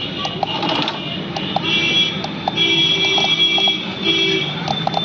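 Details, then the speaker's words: Renault Kwid RXT with a crank-but-no-start problem, relay given a ground wire during diagnosis: rapid light clicking in short bursts over a faint steady hum, with the bulb lit; the relay is switching normally once grounded. "Work करने लगी आप आवाज़ भी ए रही होगी इसमें कुटकुट की ये हमारा बल्ब इसका ऑन है और ये मैं रेली हमारी ऑन है"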